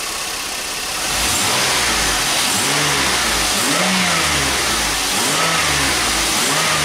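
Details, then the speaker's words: GM vehicle after the third power steering pump and a system bleed to remove air: engine revs up and settles with no whine, where a high pitched noise used to return above about 1,500 rpm; normal power steering, no more noise. "that's it no more noise"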